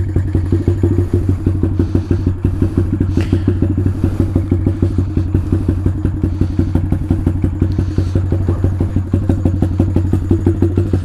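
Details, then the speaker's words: Taotao DB17 125 single after carburetor upgrade, cold start on choke: low steady thumping idle about three firings a second, no stumbling or clatter; fine on choke. "when it's running on choke it seems like it's fine"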